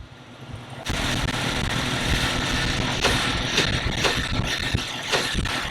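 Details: Jeep Cherokee XJ with the engine running gives sharp clunks at irregular half-second gaps as the body shifts. Lower track bar bolt was loose and the bushing was sliding; loose track bar bushing clunk.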